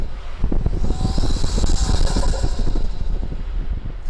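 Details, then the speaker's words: Toyota Tacoma Trailhunter on the road: engine rumble pulls up with each throttle press, faint airy whistle rising on top; normal turbo intake sound piped through the snorkel. "so as you can tell every time I step on the gas it makes a sound"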